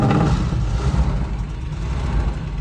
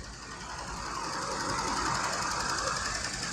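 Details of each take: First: 1984 Dodge D150 Prospector V8, first start after sitting about 20 years: low steady rumble settling into an even healthy idle, no knocks or misses, no smoke on firing; owner notes a missing exhaust manifold bolt, probably causing a tick. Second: 1984 Dodge D150 Prospector V8 first start after 20 years parked: idle with a light, fast tick about three to four per second; broken exhaust manifold bolt missing at top, probably causing the tick, suspected exhaust leak.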